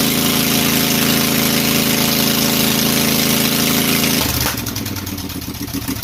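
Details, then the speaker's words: Briggs & Stratton Intek 18.5hp V-twin, traded-in engine, fuel solenoid removed, throttle/governor zip-tied: smooth even idle about four seconds, then shut off via the black kill wire and winding down; runs cleanly. "i would say that that should do pretty good and we'll call that a win"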